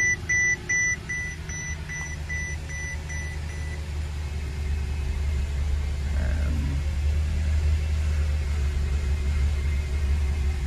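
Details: 2007 Mercedes-Benz S550 started after a compression test and injector cleaning, with the fuel pump re-enabled; a few beeps, then a low, slightly uneven idle rumble. The misfire persists; owner plans a vacuum smoke test and possibly intake manifold replacement.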